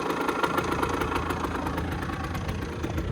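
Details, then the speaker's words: 2008 Rieju RS 50 (Matrix) two-stroke scooter/moped, 6,800 km, warm: quick even putter at idle, no misfires or stalling, not blowing much smoke; owner feels mixture slightly rich in oil; normal idle, electric start still needs fixing. "not blowing tons of smoke, everything seems okay."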